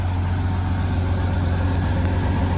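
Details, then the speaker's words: 1994 Honda GL1500 Goldwing Aspencade after fuel pump replacement, warm after running over 20 minutes, no issues, no smoke: smooth, even low rumble with steady beat, no knocks or misses; clean healthy warm idle, temperature gauge apparently not working. "all right Mike's been running for a little over 20 minutes um no issues"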